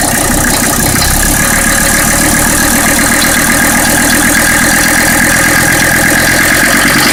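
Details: Mercedes OM617 diesel swapped into a Toyota pickup: busy idle with an uneven, sharp clatter heavier than normal injector tick, sounding like a gasoline engine knocking; the source is undiagnosed.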